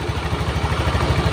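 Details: Honda Beat fuel-injected scooter after fixing a faulty wiring path that caused total electrical failure, weak battery, charging at 12.56 V. Steady, even low putter with no knocks or misses: normal idle.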